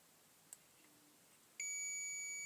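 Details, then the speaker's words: Continuity tester on the two end pins of a T12 fluorescent tube: a faint click, then one steady high beep of about a second, showing continuity through the filament at that end. "No. When you hear that beeping sound from this when you hear that beeping sound when it hit the hit these two bars when I hit these two bars because the the the signal is in that."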